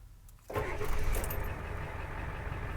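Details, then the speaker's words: 1991 Ford Econoline 350 with a 7.3 IDI diesel, 90k miles, restarted warm after running 10 minutes, glow plugs cycling quickly, no throttle. Catches within half a second and settles to a steady diesel idle, a clean warm start. "Turns right on."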